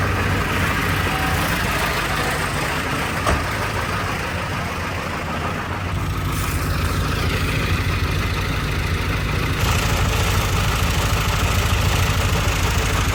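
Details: 1995 Ford F-350 7.3 Powerstroke diesel, previously crank no start, after IPR valve replacement: steady, even diesel clatter at idle with no misses or knocks. Normal, healthy idle.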